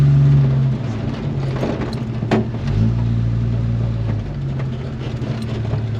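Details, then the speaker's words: 1946 Studebaker M5 pickup with a 1970-81 Camaro front subframe and disc brakes, on a test drive after the squealing pads were replaced with new Performance Friction pads. It slows under engine and road rumble with some body rattles and clunks, but no squeal or grinding: quiet brakes. "oh and it stops pretty good too bang bang no squealing though that's perfect oh this is a thousand times better"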